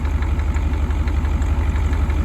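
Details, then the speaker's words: IDI diesel running on diesel mixed with used motor oil in the tank: low, even diesel clatter at idle with a light regular knock each firing, normal for an indirect-injection diesel. "running diesel, because it sounds like it's knocking a little, but it's an IDI. They always do that."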